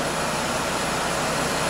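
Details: 2001 GMC Sonoma 2.2L replacement engine, first start after install, about 89,198 miles, heat on hot, fan and AC off: even, steady whir at idle with no knocks, ticks or misses; normal idle.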